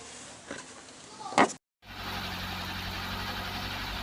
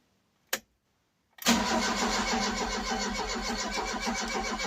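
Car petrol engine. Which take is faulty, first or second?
second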